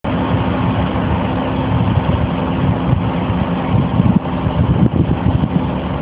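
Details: 1985 Pontiac Firebird Trans Am, 305 small-block TBI V8 with a 700R4 automatic, being moved with a spun rod bearing: rough, heavy low running with dull knocking thumps under the exhaust.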